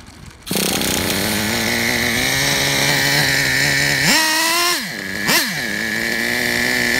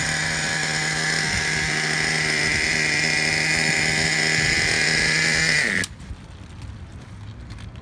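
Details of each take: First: Traxxas Revo 3.3 nitro RC truck engine: steady, even buzzing idle with a clean high note; a quick throttle blip rises and settles smoothly. Engine healthy; transmission, stripped spur gear, starter motor and one-way bearing need replacing. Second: 2009 Traxxas Revo 3.3 nitro RC truck after retuning the needles and idle. A high, buzzy two-stroke scream holds steady, then cuts out abruptly at about six seconds as it runs out of gas; stall from fuel starvation.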